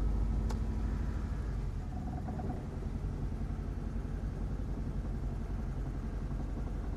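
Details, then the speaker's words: Ford Mondeo Mk3 with codes P0301 and P0304: idle just above 1000 rpm with an uneven, lumpy beat and dropped pulses, misfiring because the spark plugs in cylinders 1 and 4 are prematurely carbon-fouled. "well it seems that the spark plugs are getting prematurely covered in carbon particularly in cylinders 1 and four which is where the original misfires were"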